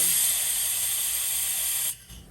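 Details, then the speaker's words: Toyota 3.4L V6 5VZ-FE cylinder head off the engine, valve vacuum test with a low-volume pump: steady airy hiss cutting off clean, reaching 20 inches of mercury with no leak-down; valves sealing, vacuum holds. "that went all the way to 20 inches of mercury so that's good it took a little bit to get up there because this is a low volume pump and there's quite a bit of volume in the porch these valves are sealing very very good good"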